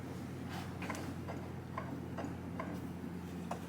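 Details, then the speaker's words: Rebuilt 1989 Kawasaki KX80 Big Wheel engine turned by hand in neutral: light, regular ticks once per turn; owner first suspected the crank or rod hitting, then found the flywheel not fully seated and rubbing the coil. "Don't know if I like that noise. It's that noise I was talking about. Ugh. What is that? I think the crank is hitting. I think the rod's hitting. The inside."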